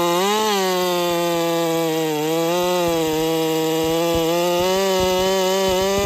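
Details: Holzfforma 372 chainsaw, big bore kit, wild porting, first test with ignition timing advanced, cutting: high revs sagging and hunting with scattered pops, won't rev out cleanly; owner suspects timing too far advanced.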